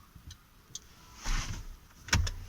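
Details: Peugeot 307 after brake light fault repair (VNQ830 output replaced with relay plus diode and fuse): crisp single relay clicks as brake pressed and released, no buzzing; both brake lights now work.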